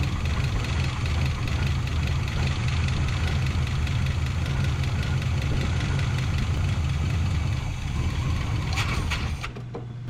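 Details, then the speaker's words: 1984 Chevrolet K30 one-ton 454 big block pickup, first start after sitting a couple of years: fires and settles into a steady, even low rumble without a hiccup; normal idle. "without so much as a hiccup it even idled all right"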